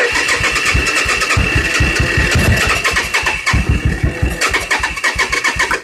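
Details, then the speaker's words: 1986 Suzuki Intruder, clutch switch bypassed: starter churns in fast, uneven pulses with a few sharp pops but never catches, cranking slowing as the battery fades; compression and spark present, battery suspected weak. "we got some poppage it indicates that the cylinders are compressing and that the sparkling valves are sparkling"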